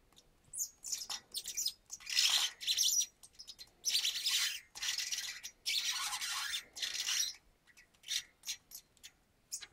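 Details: Specialized Hi Lo 20mm front hub: high chirping squeaks in repeated bursts as the wheel turns; seal O-rings suspected of needing grease.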